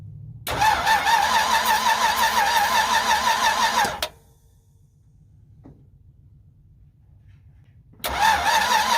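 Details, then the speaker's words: 1963 Ford F-100, 292 Y-block, first start after fitting plugs, wires, exhaust, coil, distributor and cooling system: catches quickly, runs smoothly, stops, then fires straight back up evenly; normal start, though fuel then sprayed from the leaking carburettor. "I will post a separate video of the truck actually running it started up that was one good thing"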